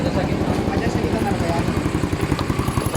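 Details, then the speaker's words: Motorcycle single with a 24 head, idling after a crankshaft side-play repair: loud, sharp popping pulses at about 220 a minute from the mid-pipe. The bottom end is quiet; the mechanic says the exhaust pipe is leaking there. "Tahimik na yung pangilalim. Singaw yung pipe. Pero yung pangilalim apakatahimik. Wala yata dito. Singaw yung tambucho."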